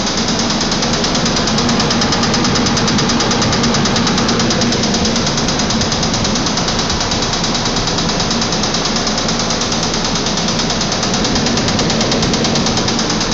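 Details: Nissan Pathfinder engine running: a hard, steady knock about three a second over the engine; connecting rod knock from a spun rod bearing.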